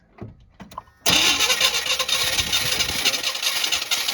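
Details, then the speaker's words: 1990 Chevy 2500 truck after reassembly and a timing tweak: the engine had run earlier but won't restart. A few knocks, then a steady starter churn at about four beats a second that never catches, while fuel delivery is checked; crank, no start. "Will you crank it? I want to see if there's any fuel coming out."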